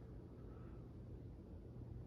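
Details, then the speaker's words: Circa-1980 Supreme ceiling fan with CEC spinner motor on solid-state variable speed control; soft steady low 60-cycle hum under quiet running, normal for these fans, not a mechanical fault. "so it looks uh looks pretty nice a little bit of a 60 Cycle hung it's par for the course though"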